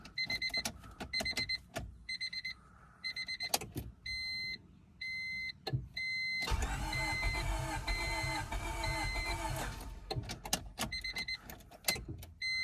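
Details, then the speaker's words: 2000 Honda Civic D16Y7, crank-no-start: door chimes, then about three seconds of steady starter cranking that never catches; the tach doesn't bounce, and the owner first suspects the crank sensor, with the fault later traced to the distributor, likely its CYP sensor. "let's see if the tag bounces whenever i try to crank it nope i think we're going to put the crank sensor in it guys"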